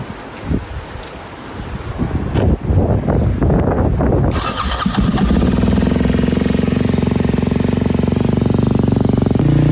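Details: Freshly rebuilt KTM 250 SX-F single, run outside after oil top-up: after scuffling it fires and settles into a crisp even idle without knocks or misses; no water in oil, runs virtually flawlessly; normal running.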